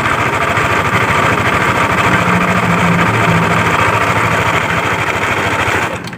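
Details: Yamaha Aerox scooter at idle, reassembled while awaiting parts; complaint of loud noise near the CVT case/primary pulley. Fast, loose knocking clatter about three per second over the engine hum. Cam chain, tensioner, cam bearing and rocker arm were ruled out. The knock comes from worn connecting rod and crankshaft bearings.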